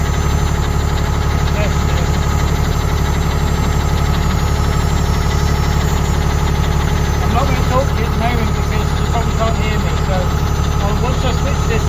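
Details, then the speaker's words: Ford Cargo 0813 library bus diesel at idle after a start: steady rumble with quick even puffing tick about four times a second; exhaust pipe broken and falling off somewhere underneath; exhaust leak. "The exhaust pipe is falling off, so Amy, we didn't try and get underneath it. We'll try and film the exhaust pipe. We have to go under here. It's broken somewhere. I don't know where it's broken, but it's broken somewhere. I can hear it."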